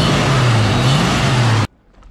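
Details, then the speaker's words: 1987 Ford Mustang LX 5.0 V8 automatic with Vortech A-Trim supercharger, converted back to speed density; it bogged with the EGR vacuum connected, and now idles with a smooth, even low rumble, no stumble, before shutting off: normal running. "you can see it it was working but it was just bogged the motor down that's why it ran like [ __ ] you can see it runs good now"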